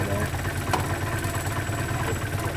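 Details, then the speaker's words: 1972 Datsun 510, L20B carbureted engine, after new alternator, idle raised to about 537–753 rpm: slow, low, even thumping idle, very stable with no stumble or hunting, before fuel mixture adjustment. "now we're at 5:37 like 70 [Applause] 7:53 it's very stable"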